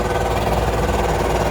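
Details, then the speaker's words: Rattling clatter from a John Deere combine's belt sheave under the machine, running hard with doors open to clean out the separator; the original owner says it always made this noise, and it is not the bearing, since John Deere rebuilt that assembly about a year before purchase. "That shiv has always made that noise. It's not the bearing, because John Deere put that all together just before I bought this combine."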